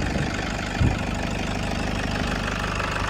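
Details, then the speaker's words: 2012 Toyota Kijang Innova G diesel, manual, first owner, engine bay open, idling with AC on: steady even diesel clatter, smooth low rumble, no knocks or misses; sounds melodious, valves and combustion judged normal. "Oke ya, mesinnya nyala, suaranya merdu, tidak ada yang fals dieselnya, artinya katupnya normal semua, pembakarannya normal."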